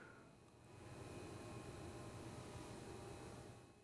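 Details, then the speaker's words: Quiet steady fan whir with faint high whistling right after power-on and boot chime of an eBay iMac G5 that won't boot; fan may be wonky, no hard drive clicking heard; possibly unusual startup fan noise. "not sure if it's supposed to sound like that it sounds a little yeah but I don't know if that's normal for these or not maybe the fan is a little wonky"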